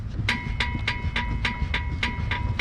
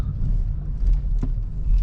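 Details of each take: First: Chevy Cruze, microphone close to the rear wheel while the car body is rocked: sharp ringing clicks about three a second from the rear suspension bar (axle beam twisting); common creaking/click noise, described as a cheap fix. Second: Chevrolet Cruze after treating the rear suspension creak with WD-40, driven slowly sideways over a speed bump: low road rumble, one soft thud, no creak or squeak from the rear; suspension now quiet.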